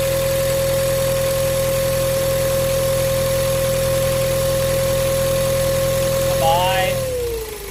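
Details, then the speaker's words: Ford Ranger T6 diesel, just started and revved before fitting a modified replacement turbo. High turbo whine over the idle, pitch falling as revs drop; the variable-geometry actuator motor has also failed, its linkage no longer moving with the throttle. "มีอะเล่นเครื่องจะได้ยินเสียงเทอร์โบหอนขึ้นมาทันทีเลยอ่ะ"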